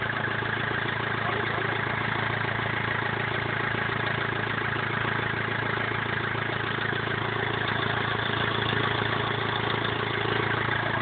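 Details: BMW E46 320d 150 hp diesel, first start after overhaul fixing the well-known swirl flap problem: an even, steady idle clatter with a regular rhythm and no misses, knocks or hunting; normal idle.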